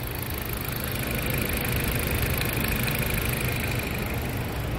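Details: Dodge Caliber with stalling traced to the TIPM fuse box, running on a borrowed replacement module while the box is moved and tapped; steady even idle with a smooth low hum and no knocks, misses or surging; the engine holds.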